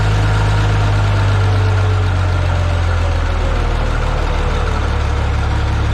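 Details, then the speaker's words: Minneapolis-Moline G950 propane tractor idling cold after doubled exhaust manifold gaskets with high-temp RTV, new Stanley muffler fitted; deep, steady low rumble, even beat, no knocks or misses, slightly louder than new-old-stock muffler, valves quieter; normal idle. "so it's definitely louder it's not a lot louder doesn't sound terrible"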